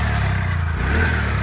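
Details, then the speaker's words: TVS Ntorq BS6 scooter after repair of a tak-tak knocking noise from the engine, magneto side: steady, even low putter at idle with no tapping or knocking; smooth and healthy now. Normal idle. "देखिए अभी देखिए कितना smoothly sound है कुछ भी problem नहीं है अभी गाड़ी में कुछ भी प्रॉब्लम नहीं"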